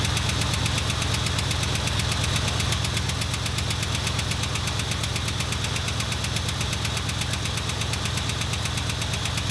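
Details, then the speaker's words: 1977 Ford F250 V8 at idle after distributor reinstall at TDC, timing around 10–15°. Sharp, even ticking about three a second is new since the work and suspected to be a lifter tick, cause unknown. "That is a like lifter tick to the max, dude. Jiminy Christmas, that's loud."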